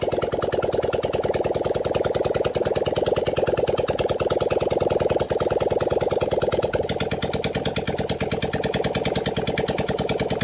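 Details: 1978 Honda CB400A Hondamatic 400, revived after sitting outside 10+ years with seized engine; just started, firing about three beats a second, uneven and stumbling with popping misses, smoke from the intake; rough running.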